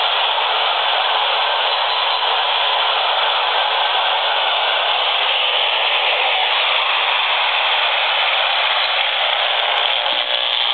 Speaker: the computer has reached its startup screen it's very very noisy and that noise is extending out of this machine by about 4 ft